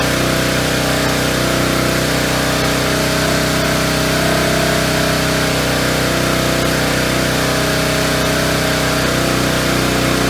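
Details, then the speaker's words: Engine driving an auction-bought hydraulic pump for rescue jaws (supposedly about 12,000 lb): steady, even drone with faint ticking beat; jaws open and close but awfully slowly, owner unsure whether rusty pivots, the valve or the pump limits flow. "well as you see there they do move it does work but seem to be awfully slow opening and closing so I don't know if it's the uh where pivots if if they're kind of rusted up a little or if the valve maybe isn't uh letting enough through"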